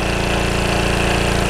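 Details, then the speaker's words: Early-1980s Generac S1500 portable generator just after a cold start on starting fluid; single-cylinder engine chugs at a steady, even beat with no misses or knocks, running normally; owner says it barely runs his drill press and startup load can stall it. "now she's running H how about that nice little generator it will run my drill press but just barely"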